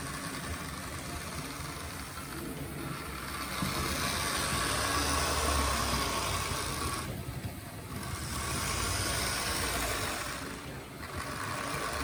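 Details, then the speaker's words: Gutzold model locomotive on an H&M Duet controller, first test run: rough buzzing motor with a gritty whine swelling and dipping with speed; sounds like dry, worn gearing, possibly needing oil; cause suspected, not confirmed. "Well, it certainly works. Sounds like an old lemur."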